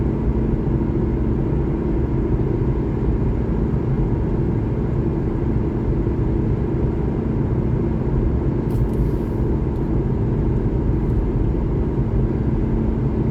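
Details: 2012 Honda Civic LX sedan while driving: constant low droning rumble steady with speed, no engine note; owner suspects a bad driver-side front wheel bearing, not confirmed.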